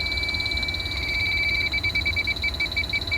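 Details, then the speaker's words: Samsung split AC installed in 2013, flare fitting torqued with a torque wrench; refrigerant travelled up the line set insulation: fine, irregular crackling chirps, about three a second, as leak-detector bubbles burst at the flare nut. Refrigerant leak at the flare fitting. "It is actually one of the fittings, and as you can see right here, you can hear it."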